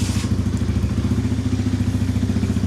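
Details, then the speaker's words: 2020 Chinese Apollo 250cc kickstart/electric-start dirt bike, after electrical repair: 100% cold start with exhaust completely cold; steady, even single-cylinder thump at quick idle, no misses or rattles; starts right up, normal healthy idle. "It's running good. Starts right up. That's a cold start. Like I said, the exhaust is completely cold."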